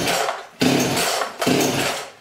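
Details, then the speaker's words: Chainsaw reported as not running: three rasping recoil pulls about a second apart, with and without the choke, and the engine turns over but never fires or catches. The cause is not yet diagnosed; it cranks but won't start. "we just know that when you pull P it and you can see me pulling it it won't start yeah and if I choke it it still won't"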